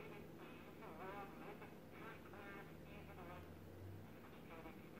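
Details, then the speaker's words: 1931 RCA P31 battery portable radio on its first test after repairs: faint, garbled voice-like sound under hiss and low hum, and the volume control seems nonfunctional. Distorted audio output. "seems a bit distorted but there is something now"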